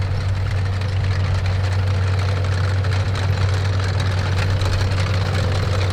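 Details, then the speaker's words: Historic armoured vehicle being readied for AusArmourfest, started for a test drive: steady low rumble at constant idle with a smooth, even beat and no stumbles; it runs like a charm. "Runs like a charm."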